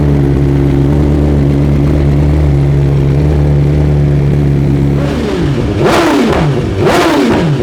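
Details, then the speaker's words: 2023 BMW S 1000 RR after Brentuning ECU flash, Sprint air filter and relocated IAT sensor: steady idle, then two sharp revs falling away with overrun crackle and exhaust popping, flames visible. "I like it. We got some flames."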